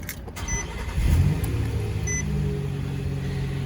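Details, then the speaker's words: Nissan NV2500 High Roof van that had failed to start for 5 days. After a battery replacement the starter catches within a second and it settles into a steady, even idle with chimes. Cause was a bad battery, not the alternator. Normal start. "I cannot begin to tell you what a beautiful, beautiful sound that is."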